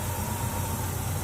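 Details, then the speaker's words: Truck with Quadrajet (Qjet) carburetor, V8 idling right after carb adjustment and fuel line and throttle linkage reinstalled: smooth, even, steady low idle with no stumble or hunting; idles perfectly, owner believes the fix solved it. "Yeah. Idles perfectly and everything. Like, that is awesome."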